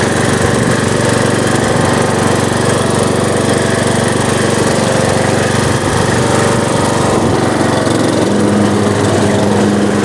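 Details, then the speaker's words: Riding lawnmower started after sitting outside all winter with battery removed and stale gas still in the tank: loud, steady engine drone holding even speed without misses or surging; fired right up, normal running. "pretty good sad all winter stale gas and all fired right up on to the next one"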